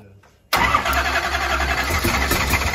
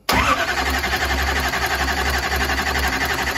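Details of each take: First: Mullet's 9.3L SMX big block first fire-up; short crank then catches instantly into a loud deep steady lumpy idle, starting and running properly. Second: Mullet's 9.3L SMX big block on first fire-up, timing reading around 290–295, likely a tooth off; loud lumpy burble over a pulsing low rumble for six seconds then cuts, ignition timing far out.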